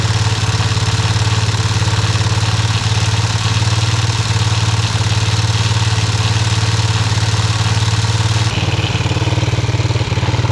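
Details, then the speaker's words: Restoration engine idling with brand-new carburetor just installed: low thumping idle about four beats a second that wavers and stumbles; rough idle, owner says carb needs tuning. "going to have to find sh in that carb a little bit idle and kind of iy but it's [Music] running sweet"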